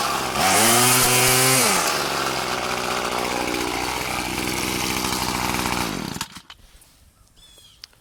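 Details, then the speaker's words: Murray M2500 bent-shaft two-stroke weed trimmer, curbside find, cutting goldenrod and dog fennel: strong, steady buzz rising and settling under load without bogging, then shutting off; a healthy trimmer. "works great damn I'm impressed uh that's that's a perfectly good weed eater"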